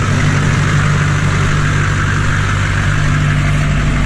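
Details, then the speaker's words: 2004 Chevy Silverado 2500 with LB7 Duramax diesel, K&N cold air intake and 4-inch straight-pipe exhaust, heard walking round to the exhaust: deep, even idle with a steady low beat and no knocks or misses, a healthy engine. "especially coming around to this straight pipe very nice sounding truck lots of Power with the diesel engine"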